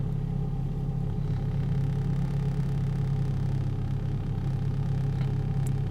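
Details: 2004 Holden/Opel Astra with an Ecotec engine, connected to a battery maintainer and a Launch scan tool, restarted with the alternator seemingly charging: a low, even hum at one steady pitch with no misses, knocks or squeals. Normal idle.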